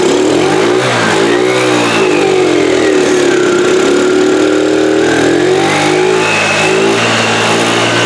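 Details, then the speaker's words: 2013 TaoTao scooter after fitting a new carburetor: engine surges and sags unevenly with no steady idle, struggling to keep running; owner suspects fuel delivery problem, possibly faulty fuel pump. "okay sounds like a fuel delivery problem and I'm wondering if we may have an issue with this fuel pump maybe it's not working properly"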